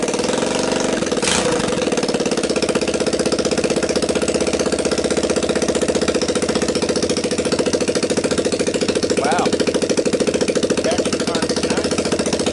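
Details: Linhai Talon 300 4x4 ATV engine on bench outside the frame, freed from apparent seizure, PZ27 carb taped on, 12VDC CDI, choke on, first start: single-cylinder thumping at quick fast idle, even and steady, no knocks or rattles; runs well.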